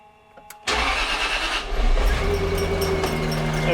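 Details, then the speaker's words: 1998 Jaguar XKR supercharged, start-up: engine catches then idles with uneven slapping rattle and chirp at front; seized belt tensioner pulley not spinning, belt chewed up and flapping. "that's not a happy sound how however you have a look down here see that belt slapping around in there"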